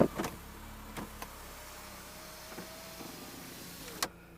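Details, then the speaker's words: Audi TT Mk1 Roadster door window motor area. Glass nearly reaches the top, then reverses; rough whirring drag with scattered clicks only when raising. Power window grinding; owner suspects it may just need lubricating, not confirmed. "there's a strange noise coming from where I know the window motor is which is in the middle here where the net pocket is it's in that kind of area oh yeah you can hear some grinding and stuff going on in the door but only when it goes"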